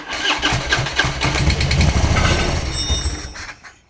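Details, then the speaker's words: 2004 Harley-Davidson Road King that needs a fuel pump and a battery; starter spins it over and, with starting fluid sprayed in through the removed air filter, it coughs unevenly and dies in about three seconds; spark present, no start from failed fuel pump. "The one I'm not keeping needs a fuel pump and a battery, but it seems like the starter spins over, so we're going to see if we can get it to uh fire off."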